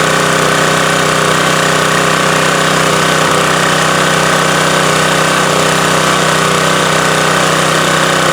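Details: Subaru-engined electric-start pressure washer after cleaning, refilling oil (not overfilled) and starting on choke, checked for oil or fuel leaks: loud, steady single-cylinder chug at constant beat, no misses or knocks; normal running, no leaks seen.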